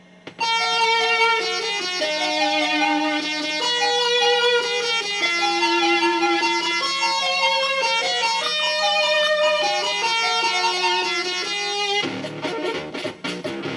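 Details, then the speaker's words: Commodore 64 machine #2, bad PLA previously fixed, playing Donkey Kong: clean, steady chiptune with bright square tones and even level, no buzz, crackle or dropouts; SID sound chip output normal. "sounds absolutely normal so I'm gonna put a check mark on the SID"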